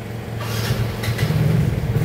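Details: Yamaha Mio GT scooter after repair of a no-start despite good compression, ignition and fuel, wiring tidied and insulated: steady, even low putter with no misses or knocks, rising slightly; normal idle. Codes 42 and 37 remain.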